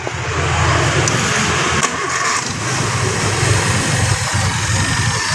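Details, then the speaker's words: Suzuki Forsa with points-type distributor just installed and timed: engine cranks, catches and settles into a steady even idle with no misses or stumbles; ignition firing properly. "sudah hidup ya."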